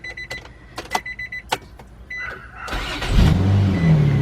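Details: 2003 Nissan Maxima GLE 3.5 first start after partial engine rebuild and new cat, oil pressure built by cranking: few clicks, starter spins, engine catches and settles into steady run with no knocks; possible small muffler hole.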